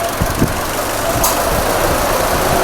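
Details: 2017 Maruti Ertiga with company CNG fitting, after replacing coil, ECM and number 4 injector to fix misfire and failure to switch to CNG: steady, even idle on CNG with air conditioning on, no stumble or knock; running smoothly.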